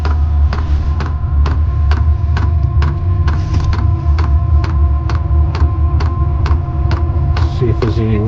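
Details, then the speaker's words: Diesel heater in a DIY RV fed from an external tank, shortly after first ignition; steady low blower drone with an even pump tick about twice a second while warmth starts coming from the duct: normal running. "Hear the blower going. It is pumping. Feel just a little bit of warmth coming out of it. It's increasing a little bit more. Sounds like we might have success."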